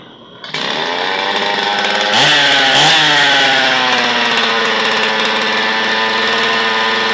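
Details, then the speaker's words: Old Zenoah chainsaw, previously stored and would not start, after disassembly and repair: started with choke then choke opened, catches at once into a crisp steady high buzz with clean throttle blips; normal running. "Start na ang chinsaw mga ka-viewers, pwede itang open na lang sa choke, choke open."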